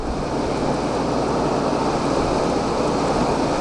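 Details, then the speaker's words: Air conditioner in local mode, compressor running: steady even rushing whoosh, no knock or rattle; still loud, and the unit cools well but drips water inside despite cleaning. "uh let's cut it off and then go to local and the compressor is over here i see it i mean yeah on local it's not that loud but it's still loud"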